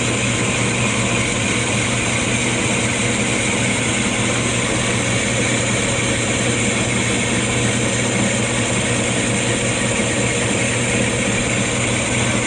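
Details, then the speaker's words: Lathe machining the new piston and rings for a 1911 Stickney 7HP hit-miss engine; continuous busy rattle like a bag of rocks over the steady drive hum, from a wobbling lathe drive pulley, not the headstock; not yet fixed. "Yeah, I know, I gotta fix that pulley. It wobbles, it sounds like a bag of rocks. One day I'll fix it."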